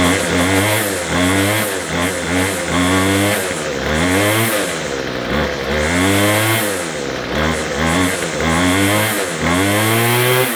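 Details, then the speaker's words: McCulloch 250C XL X-series two-stroke strimmer after the carburettor low and high mixture screws were turned out for more petrol. Its crisp buzz revs up and drops back repeatedly, picking up cleanly without bogging or dying, running properly. "Running a bit better. That's better. Go full throttle now and it won't stop."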